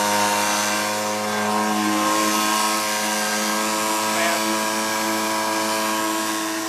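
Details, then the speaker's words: Sears 1.2 HP air-cooled two-stroke outboard, over 38 years old, running on a boat alongside a trolling motor: steady high buzzing drone, even pitch, no misses or surging; normal running. "I got both both Motors going and I'm moving"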